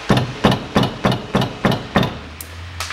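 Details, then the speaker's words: 2005 Toyota Passo, 1.0 L automatic, front-wheel drive, 96,000 km: raised front wheel struck, seven sharp knocks with loose metallic clatter from brake caliper rattling on worn guide pins; ringing disappears with light brake pedal pressure. "болтаются суппорта в пальцах вернее болтаются пальцы скорби суппорта и сам цилиндр издает такие звуки"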